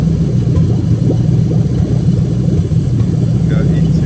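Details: Lexus LS430 2003-2006 3UZ-FE VVT-i V8 on an original harness adapted plug and play to an IS200 manual, idling during diagnostic active tests after ACIS checked fine: steady, even low hum with no knocks or misses; normal idle.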